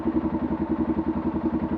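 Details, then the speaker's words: Arctic Cat 500 ATV single after cam repair, valve adjustment and oil change, previously knocking badly at low revs: even, steady idle pulsing about seven times a second with no knock or clatter. Normal idle, much quieter than before. "much much quieter like I said it was it was knocking really bad you're a low revs"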